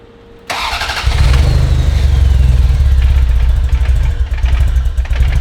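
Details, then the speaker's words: Ferrari 348, first start after engine-out timing belt major service: cranking catches into rough, uneven low rumble that surges and stumbles; starting but not really running; right side running rich with smoke, possibly swapped wiring harness suspected. "I mean, it's starting, but not really starting."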